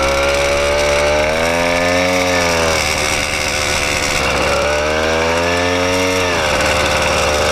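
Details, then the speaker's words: 80cc motorized bicycle two-stroke with a smaller jet and a richer needle: buzzy engine with a loose rattle at low rpm that goes away at high rpm; something loose, ruled out as the piston hitting the head. "It's like something's loose. That's what that rattle is for sure. Because if I go up in the RPMs real high, it gets like, it goes away right there."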